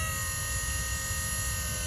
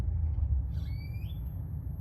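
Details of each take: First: Electric power steering pump installed in Nissan S14, speed cable powered before triggering: pump turns on fast with a steady, even electric hum and high whine, no surging or grinding; normal. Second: Electric power steering pump in Nissan S14, trigger/switch powered before the speed cable: faint whir climbs slowly in pitch over about ten seconds as the pump spins up slowly; advised to prime pump slowly to avoid damage if reservoir is low.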